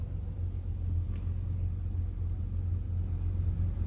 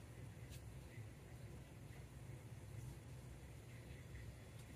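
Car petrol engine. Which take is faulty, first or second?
second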